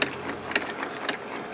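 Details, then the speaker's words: Keurig 2.0, about two years old, leaking from the bottom, brewing with covers off: small piston pump gives quick light ticking with sharper clicks about every half second; a hose/one-way valve spot looks wrong; the leak itself is inaudible. "that was cool just that little piston action it was like a little piston pump"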